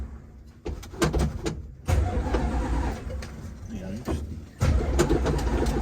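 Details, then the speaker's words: Dodge Dart V8 after long lay-up, fuel lines and filters replaced: starter cranks it in uneven bursts but it never catches. "Uh-oh, ignition's on. Oh man, there's a door now. Hang on, park. It's turning over."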